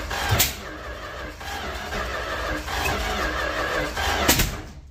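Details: 1967–70 Dodge A108 van, 318 with three-on-the-tree manual, timing issues: long steady cranking with exhaust puffs but no start. Owner suspects a packed muffler; unconfirmed.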